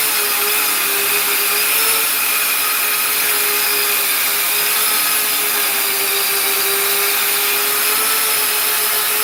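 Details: Custom 3D-printed 70mm EDF quadcopter, brand-new brushless motors: steady high fan whine with wavering pitch and rough hiss; left rear motor suspected bad, possibly 4S motors supplied by mistake, debris later found inside it.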